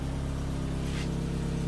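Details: 1994 Mazda Miata NA after replacing failing fuel pump with Deatschwerks DW200 255 LPH pump, idling to check for leaks: smooth, even idle, steady low hum, no misses, ticks or surging; running healthy.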